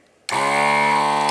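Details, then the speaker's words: ZD-915 desoldering station vacuum pump after repair (screw re-secured with Loctite), desoldering test on a Commodore 64 spares board: steady loud even buzzing drone, no rattle or grind; sucks as well as it did; normal running. "Yeah, and it sucks again. It does suck as well as it did."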